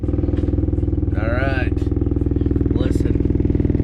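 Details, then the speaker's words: 2009-14 Ford F-150 heater/AC blower behind the carpet, before repair: steady fast ticking about four per second on the blower's hum, a foreign object slapping the fan wheel inside the housing; blower noise from debris in the fan. "okay does your F-150 make this horrible noise from the heater or the air conditioner check this out let's turn it on"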